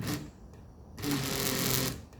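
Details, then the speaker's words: 1982 Mercedes 300SD passenger power seat, motor powered directly at the pins: short start-stop bursts of buzzy, rattly whir; a seat drive cable is dry and needs lubrication. "It's these two cables right here that are the problem. Let's go ahead and check this cable. All right, that's what we need to lubricate."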